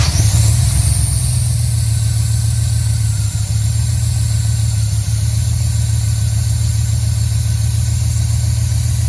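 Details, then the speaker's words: 5.3 LS V8 after replacing a stuck DOD lifter that was ticking: smooth, steady idle with no lifter tick, plus a faint high hiss from a small intake vacuum leak through a broken vacuum hose. "and that's just the vacuum leak coming from the intake which is not a big deal"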